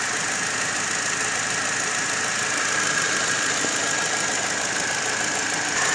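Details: Car engine idling with the air conditioning on: uneven, hissy chatter over the idle with a thin high whistle, appearing once the AC kicks in; the cause is not stated.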